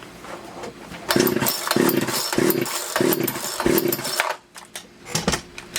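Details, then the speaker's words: Poulan Wood Shark chainsaw with a no-start complaint, on a rainy day: several rasping pull-cord strokes bring only brief sputters and it won't catch and run; suspected flooded, not confirmed. "not going to run that easy either guys maybe it's just flooded oh"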